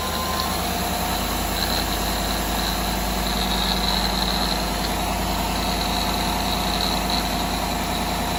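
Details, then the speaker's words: 2018 Chevrolet Silverado 5.3L at idle before water pump replacement: steady idle with rough gritty grinding rumble under engine note, noticed 2-3 weeks; bearing in belt drive suspected, unconfirmed: grinding noise at idle. "I don't hear any like grinding either. But it definitely sounds like grinding somewhere. And I noticed that for about 2-3 weeks now."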